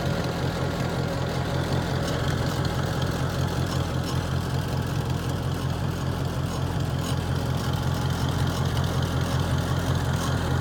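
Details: 1949 Farmall Cub: a steady, low, even putter at idle with no knocks, ticks or grinding. Normal idle.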